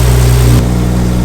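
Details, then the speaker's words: Nissan Skyline RB engine just started after being parked up for a long time, heard indoors: deep steady drone with an even unbroken beat, no knocks or ticks; running normally. "Yes! Alhamdulillah! She's still running, that's all that matters. We're good, we're good."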